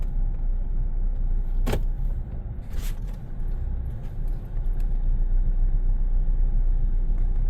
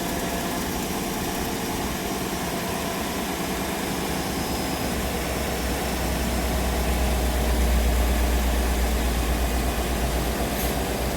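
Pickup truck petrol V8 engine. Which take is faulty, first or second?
first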